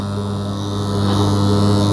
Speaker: ngoja tujaribu kustart hapa unaona imeshika eh na tukistop imeacha kwa hiyo hii imekamilika ringi yetu ya direct online starter